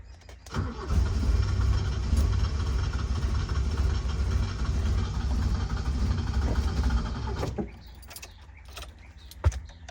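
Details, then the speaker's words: 1977 Toyota motorhome, engine started after sitting dormant for months, foot on the gas: long uneven cranking that keeps trying to catch for about seven seconds, then cuts off; hard start, owner suspects he flooded it. "might be flooding it. It's like kind of running."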